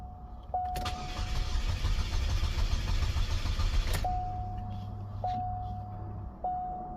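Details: Chevy Cobalt SS first start after engine install, fresh battery plus jump pack; steady starter crank about 3.5 seconds between chimes with no pump buzz beforehand. Fuel pump not heard priming.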